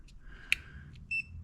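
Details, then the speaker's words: Multimeter continuity check while testing a Simplicity Regent S mower's deck-height switch: one short, steady high beep when the probes are touched together, confirming the meter works; the switch itself showed no continuity. Normal meter beep. "Nope, I just touched them together there."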